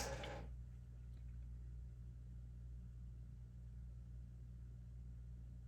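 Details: Sound City L100W Mk III 100-watt tube guitar amp (three 12AX7s, KT77 output tubes) off standby, all controls at zero, current limiter removed: steady low hum with buzzy overtones; slight background noise, microphonic preamp tubes; mains hum.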